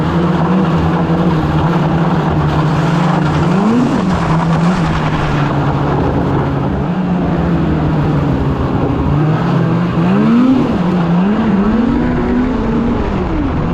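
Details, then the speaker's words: 2016 Polaris Indy 600 SP snowmobile after plugged fuel filter fix and new Ultimax belt, grass dragging through mud without snow: loud steady high-rev drone holding pitch at full throttle, swelling briefly with load, hitting needed rpm; normal pull. "the sled's pulling hard you know that belt's working great you know she's running good we're hitting the RPM we nee"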